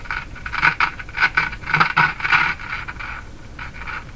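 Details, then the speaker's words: Circa-1949 Philco 49-501 Boomerang radio powered up on a light-bulb limiter at about 108 V: irregular scratchy crackles cutting in and out as the volume knob turns; dirty volume control. "any smoke Flames nothing happening turn it up dirty dirty volume [Laughter]"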